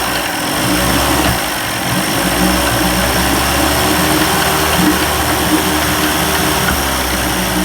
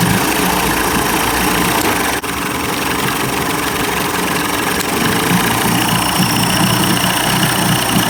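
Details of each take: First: 1990s 30 hp Evinrude outboard, cold start after carburetor rebuild, primed, throttle at high idle: fast uneven idle with dropped firing strokes, missing a bit until warm. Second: 1990s 30 hp Evinrude outboard after carburetor rebuild: steady, even idle with busy but consistent exhaust note, no stumbling or surging, running better, though fuel leaks from the carburetor gasket, which needs replacing.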